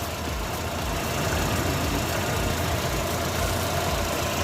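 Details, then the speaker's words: Dacia Lodgy idling right after valve clearance adjustment; even, quiet idle with soft uniform hum, the earlier loud valve ticking gone: normal idle. "Tahimik na, hindi na yung kagaya kanina na kwan, malakas ang lagitik. Ngayon okay na."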